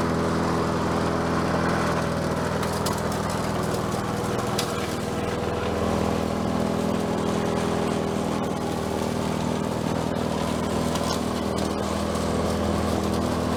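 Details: Bolens 22-inch self-propelled mower with a Quantum engine, on the ground after repair work: small single-cylinder holds a steady, even drone with no surging or hunting; self-propel works and it runs as it should.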